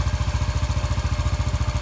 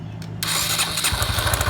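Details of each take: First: 2013 Honda Biz 125 after connecting rod repair: even single-cylinder idle thump, about three and a half beats a second, steady with no knock; quiet now, revving cleanly without knocking; normal idle. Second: 2013 Honda Biz 125 (also called a 2015) with an oil leak: starter whirr, then the engine catches with heavy, evenly spaced low thumps under the exhaust beat; excess connecting rod play found, rod to be replaced; connecting rod knock.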